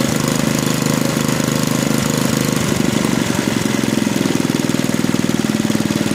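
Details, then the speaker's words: Small engine after mechanical governor adjustment removed slack from the linkage, restarted and holding a steady, even beat at maximum speed with no surging or hunting; governor controlling top speed normally. "now when i restart the engine we should see that the governor is able to control the maximum engine speed once again"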